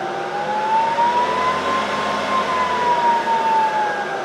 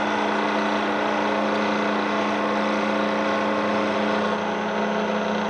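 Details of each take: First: Bridgeport mill head at high speed without the spindle engaged: even motor and belt hum with a clean whine rising with speed and no knocks. The drive is normal; the noise appears only when the bent spindle is engaged. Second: Loud, constant drone with a fixed low tone from a Bridgeport mill head at about 1400–1500 RPM after fitting a new spindle arbor and bearings; another unidentified noise source remains.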